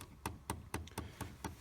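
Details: 2010 Chevy Equinox: sharp steady clicks about four times a second under the dash, audible even key off; the hot/cold blend door actuator behind the glove box has failed.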